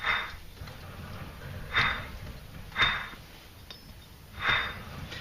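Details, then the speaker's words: 2001-2006 Hyundai Santa Fe 2WD rear hub turned by hand gives gritty rasping bursts. The rear wheel bearing is worn; its grease dust cap was cracked by hammering, and water likely got in. "shouldn't make that sound should make no sound at all or barely any sound anyway"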